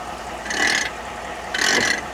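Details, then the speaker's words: 2011 Ford F-150, front right wheel, engine running: two harsh ratcheting grinds about a second apart from the IWE hub, clicking that stops in 4WD; vacuum is present, so a failed IWE actuator is suspected. "As you can see, it's not spinning, but you can hear that, and that's what I was hearing. And that's this vacuum line right here. Either could be one of two things, not providing enough vacuum which I can feel the vacuum. Or the actuator has failed."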